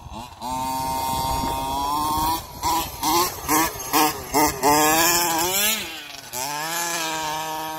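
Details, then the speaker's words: Losi 5T RC two-stroke during track tuning; it runs fine cold but bogs once hot. It buzzes in short rev bursts, then sags and struggles under throttle. Engine bogging; the owner suspects airflow or the carburetor. "Wolfe's is really bogging now now sounds like airflow"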